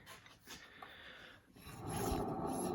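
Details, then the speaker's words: 2003 Mazda Protege 5 rear wheel, hand-spun: a dry, gritty rolling rasp as the wheel keeps spinning freely, from a worn, dry rear wheel bearing. "you hear that bearing rolling around in there nice and dry the wheel just keeps spinning and spinning freely that's a bad wheel bearing"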